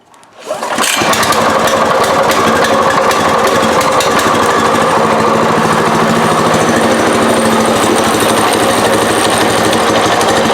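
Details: Go-kart engine just mounted with centrifugal clutch and chain, wheels not welded to the axle, choke off and fuel on, key-and-lever start: it catches quickly into a fast, even buzzing run with light chain rattle. Normal running.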